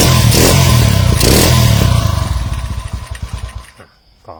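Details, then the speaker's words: Honda CG110 rebuilt to 125cc with 5-speed, valves not yet adjusted: revs hard and loud, then drops to choppy uneven idle around four beats a second; loud running, engine still untuned. "นี้นะครับมีเสียงดังชาวบ้านเขานะครับ"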